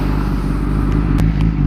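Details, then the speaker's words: Kawasaki ZX10-R after a rebuild, in neutral: a deep, lumpy idle that bogs down and sits very low with unevenness between beats. The rough low idle's cause is unknown to the owner. "ow, it'll just kind of like bog down and idle very low. Not 100% sure why. Something I'll have to look into."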